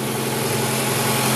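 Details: 2004 Ford Fiesta idling after water pump replacement (original complaint: squeal and accessory-belt noise from the pump); steady, even hum with no knocks, ticks or squeal; cold, radiator open to purge air; healthy.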